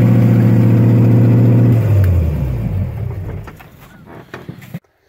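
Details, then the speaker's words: Solid-mounted engine with HEI ignition, started from inside the car via toggle switches while in second gear, no exhaust fitted: a harsh, raw, blatty drone at fast idle for about two seconds, then fading and dying out. "I'm going to try starting it in second. I think I unhooked it. Really need to get an exhaust, but..."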